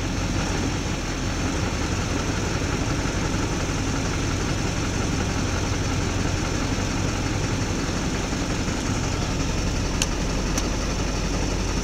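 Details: 2004.5 Duramax LLY diesel, heavy idle with uneven lumpy beat, then revved; with a little throttle it levels out and idles fine; rough idle, cause unknown.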